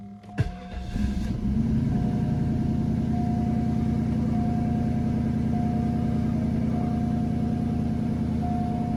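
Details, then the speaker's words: 2002 Northstar, previously P0300/P0121 with idle hunting, small amount of gas added: starts, flares briefly, then holds a steady, even idle; a normal idle. "Oh yeah, that's a whole lot better. Before she was shooting up and idle and just up and down."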